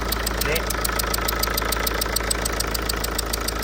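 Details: Tata 2.2 common-rail diesel (140) idling with a sharp, regular chuffing tick over the clatter, about three to four puffs a second: compression leaking past the cylinder 2 injector seat washer; owner reported overheating, fan not working, weak A/C.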